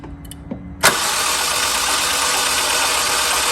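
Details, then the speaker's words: Honda Civic EP3 engine bought online, compression test on dry cylinders: fast even cranking with no compression pulses; zero compression on all cylinders, before oil added, ahead of valve, head and timing chain work. "No matter what you do, no compression at all. Nothing moving. All cylinder, there's zero compression, guys. No little bit. No compression at all."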